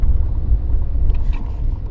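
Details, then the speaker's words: Mini with a suspected gearbox rattle, rolling backwards in reverse. Only a low, even rumble, with no rattle or clatter. The rattle appears only in the forward gears, so the flywheel is ruled out and a worn forward-shaft bearing is suspected. "All your forward gears back into reverse. 2, 3, 4, 5, 6, 7, 8. I can't go any faster now, I don't feel safe. No rattle."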